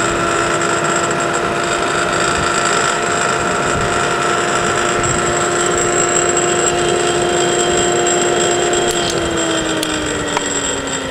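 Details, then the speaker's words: Forklift motor for an electric car spinning with no load and drawing a little over 25 amps; steady hum and whine with a slight uneven wobble, slowing at the end. Owner suspects something inside is out of balance, not confirmed. "um something is not quite perfectly balanced I don't know what I'll still have to take it apart to figure out exactly what's going on in there"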